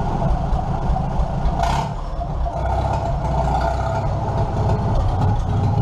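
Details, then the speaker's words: 1947 Farmall M tractor running with the muffler pulled off: loud, raw open-exhaust bark with a deep steady beat, engine running evenly; normal running without muffler. "well I figured I need to give you guys a little bit of a sound clip without a muffler so there you go"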